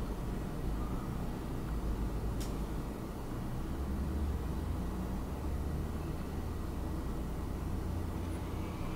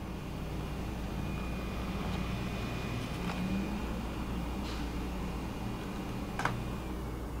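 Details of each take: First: Wacom Cintiq Companion 2 running OS X under a Cinebench load test: steady loud rushing whoosh with a faint thin whistle, holding constant; cooling fan at full speed under load, dropping back afterward. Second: Wacom Cintiq Companion 2 in OS X with Photoshop open: soft, steady fan whoosh with faint constant hum at the second fan level, no rattle or grinding; cooling fan at medium speed.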